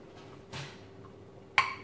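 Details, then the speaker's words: Jars of home-canned yellow squash just removed from the canner: two short, bright metallic pings a second apart as the lids pop down. Normal seal ping; the jars have sealed successfully. "That's the pinging sound that we want to hear when we can. That's letting you know that your jars have successfully sealed, okay?"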